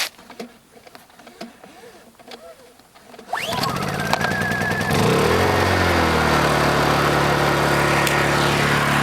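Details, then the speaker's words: Honda EU2000i generator, last run 24 hours earlier, cold start on choke: catches on the first pull and settles into a steady, even run within seconds; normal cold start. "That was first pull, again, which is to be expected from the Honda."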